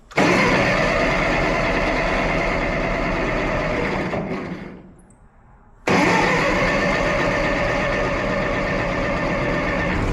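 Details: Ferguson petrol tractor carburetor: the engine runs fast and rough, sags almost to stalling, then picks straight back up. It only runs on choke; a lean fuel mixture.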